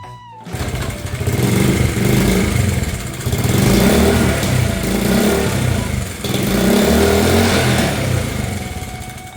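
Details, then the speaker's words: 1971 Honda CT70 first start in years after sitting, reassembled with fresh gas: small single fires and settles into a steady, even putter with light throttle swells under music; running normally. "I am 100% satisfied. We have accomplished the goal and the bike is starting up."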